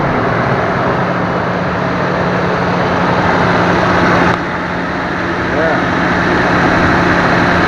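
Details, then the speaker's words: 2007 Toyota Tacoma V6 just after cylinder head and head gasket rebuild (intake valve seats and valves replaced): even, steady idle hum with no stumble, surge or misfire; previously idled up and down with a misfire. "Sounds really good. No misfire in it, nothing."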